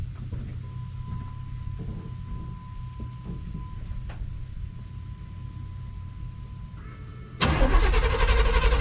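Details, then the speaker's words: 1991 Chevy Silverado C1500 V8 on a cold start, microphone at the rear by the factory duals-out-of-muffler exhaust: faint chime and cranking, then it fires sharply into a strong even idle with no knock or miss. The owner says it doesn't smoke or knock. "I mean, it don't smoke, it don't knock, it don't do anything."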